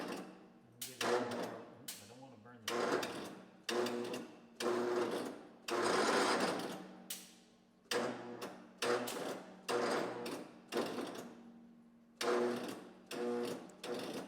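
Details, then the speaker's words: Battery-low suspicion on 1970s Massey Ferguson MF-12 garden tractor (Tecumseh 12hp) after new head install: starter whirs over in harsh, rough one-second bursts, sounds terrible, possibly Bendix not engaging properly; noisy cranking, no start. "I wonder if it's just that the battery is that low that it's trying to engage the the Bendix. I guess like it's taking, you know, what's it at? like five man do that. It whirls over fine. Just sounds terrible."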